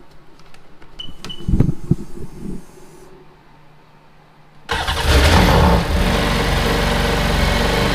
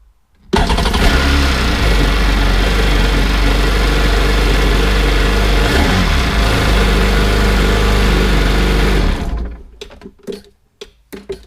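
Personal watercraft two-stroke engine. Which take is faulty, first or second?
first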